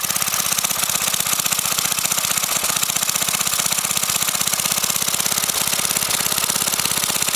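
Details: Briggs & Stratton 5 HP single-cylinder engine, sitting unused for years, run without a carburetor on propane from a barbecue grill tank, valve-metered mixture: quick, even firing pulses, no misses or surging; runs steadily and smoothly on propane.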